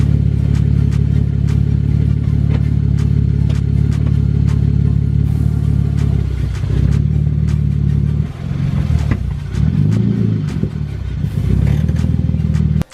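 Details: Boosted 2013 Genesis Coupe 3.8, camera on the ground as the car creeps: heavy low rumble with uneven clattering knocks about three a second, rising and falling with movement, from a broken rear differential.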